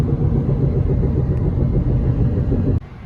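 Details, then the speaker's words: 2011 Honda Accord driving: steady low droning "boo boo" rumble, louder on left turns, gone switching lanes; worn front wheel bearing, owner believes the left (driver's) side, confirmed by vibration when spinning wheel. "So yes, that's a bad wheel bearing. So when I turn left, it increases."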